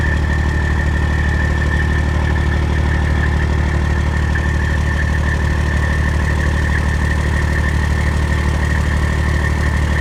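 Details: Detroit Diesel 14-liter engine in a Freightliner, overhauled in frame, head overhauled twice: steady idle with an even metallic click about three per second from the exhaust pipe, also heard on the exhaust manifold with a stethoscope; shops call it normal, owner disagrees; source unknown.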